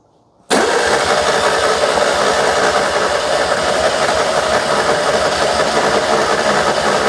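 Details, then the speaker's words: 2CV-based Falcon S kit car abandoned 23 years, with battery booster and easy-start spray: starter turns the engine briskly and evenly about seven seconds without firing; cranks well but won't start, chugging changed near the end. "turning over nice now but no dice that was a bit different at the end there it's chugging away I think she is trying"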